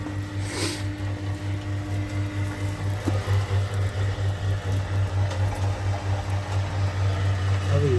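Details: Newly replaced sewage lift pump (relevage), tested via extension cord in the pit to check the float stops it: steady low motor hum with soft even pulse, no rattle or grinding; pump runs smoothly.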